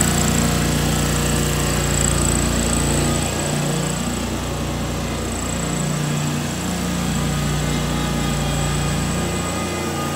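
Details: 2003 John Deere X485 garden tractor, 25 hp liquid-cooled Kawasaki EFI engine, about 660 hours, fuel pump just replaced: smooth, steady twin-cylinder drone with a low, even note, no misses, surging or knocks; normal running.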